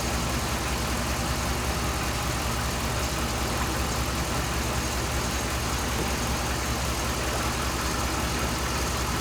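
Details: 2007 Dodge Ram 5.7 HEMI V8 after water pump replacement, warming up while bleeding air, coolant about 140°F at thermostat, no leaks; even steady idle with smooth low rumble, no knocking or misses; normal.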